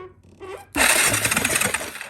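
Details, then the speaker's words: 2002 Yamaha Kodiak 400 4x4 that sat outside a year: the starter button did nothing, but with power run straight to the starter there is a sudden loud, busy whirring churn as the engine turns over, so the fault is upstream of the starter. "oh yeah all right sounds like it turns over"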